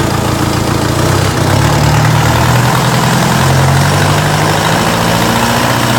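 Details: Diesel engine at idle, behaving strangely: a low drone that swells and sags instead of holding a steady beat. Owner suspects a misfire; this rough idle is not confirmed.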